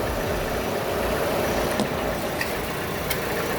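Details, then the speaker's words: Ecotec 1.4L turbo (Buick Encore/Chevy Trax/Cruze/Sonic) after oil drain and refill with 4.2 quarts: even idle with a light ticking chatter on top and no misses; the noise is normal. "So always remember, check your shit stick. That noise is normal, believe it or not."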